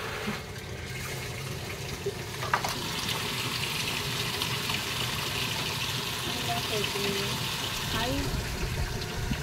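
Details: Panasonic automatic washing machine after repair of a no-water-inlet fault, test fill at low water level: steady rushing hiss of water pouring into the tub with no knocks or chatter from the valve; a normal, healthy fill.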